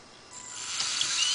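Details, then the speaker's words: fischertechnik Mirft walking robot running without its leg after two chain links were removed: right chain shows a thin, rising high-pitched rasp with small chattering clicks. Builder first suspects the chain is still too long, then doubts it; unconfirmed. "as you can see, the chain on the right shows some problems, and you hear it as well."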